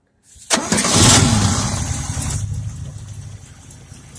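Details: 1968 Sprint OHC six-cylinder in a 1950 International Harvester L110 pickup, freshened up and tuned, first start in 35 years on a temporary gas can: short crank, immediate catch, smooth even idle, no ticking; normal start and idle.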